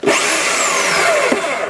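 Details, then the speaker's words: DeWalt DW321 saw after a gearbox repair for not cutting; it had clicked loudly, probably from a flat spot catching under a bracket. Now a smooth, high motor whine with an even stroke rhythm and no clicking: normal running. "so now it sounds like it should there's no weird noises"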